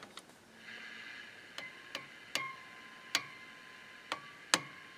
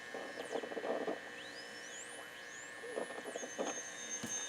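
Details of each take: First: Motorola 68L11 tube radio, tapped while powered: each tap gives a sharp tick then a clear ringing tone around 1 kHz slowly fading; microphonic tube, three tubes tried in this radio all behave the same. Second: Motorola 68L11 tube radio, tested by placing a second AM radio nearby: faint whistling tones sweep up and down in pitch over a low hum as the set is moved; a heterodyne howl showing the local oscillator works.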